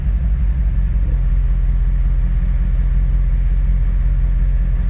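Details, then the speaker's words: 2008 Chevrolet Corvette C6, bought at auction: deep idle rumble with loose uneven pulse about three a second, like a cylinder missing, fine when revved; owner suspects bad gas or plug wire, fuel trims high, O2 sensors suspected, no DTCs; rough idle. "it has a miss like you hear that it revs up and it's good it's just it's like it's got bad gas or a bad plug wire or something"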